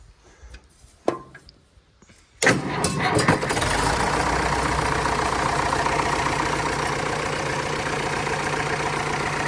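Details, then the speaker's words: Massey Harris 555 diesel tractor after repair for water in the oil, oil pressure 35 psi, gauge line leaking; cranks briefly, catches at once and settles into a steady, even idle with no knocks or misses; normal diesel start and idle. "But yeah, she's back up and running. We'll see here in the next couple of days how if water and oil stay separated. That would be nice. I'll start it up here while I have you guys with me"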